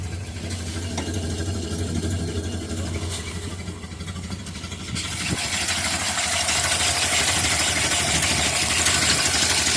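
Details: Steady, even idle with regular low pulse, no ticking or puffing, after exhaust leak fixed and cracked intake manifold repaired — normal idle.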